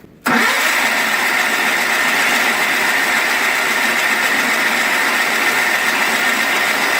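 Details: 1985 John Deere 318 twin, cold start after three months in storage with gas poured in the carb, choked and a little throttle: it catches quickly and settles into a steady, even idle with a busy hiss on top. It runs cleanly.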